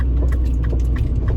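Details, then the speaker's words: 2007 Mini Cooper (R56) while driving: short hollow knocks over road rumble from the rear suspension, suspected worn rear sway bar (stabilizer bar) bushings, which are then replaced. "but i'm hearing a little bit of a knocking um within the suspension and i'm thinking it's the stabilizer bar bushings"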